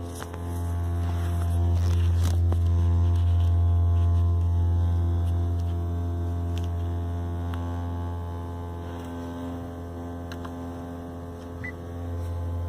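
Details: 2018 Honda Accord Hybrid: a steady low drone holds one pitch throughout, with faint higher tones above; a constant hum whose source isn't clear.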